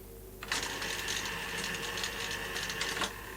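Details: Sanyo Beta VTC5000/VTC5150 video recorder lacing a tape via the loading ring, before cleaning contaminated static guides that caused squealing during play: busy mechanical whirr with a steady high whistle for about 2.5 seconds, then stops.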